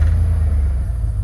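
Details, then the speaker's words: 1999 Chevy Silverado 1500, 4.8 gas V8 with a hard-start problem, cranks and dies: under throttle it trembles, stutters and struggles to stay running; owner suspects fuel pump not delivering, fuel starvation. "Now let's go to give it some gas. It kind of trembles, stutters. It's struggling to stay running."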